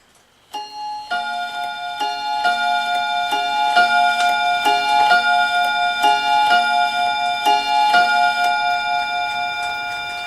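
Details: Dutch Friesian tail wall clock after bushing replacement and swapping single and double gong rods into the correct positions; clear ringing gong strikes in a steady, even sequence over faint ticking, chime now rings in proper order.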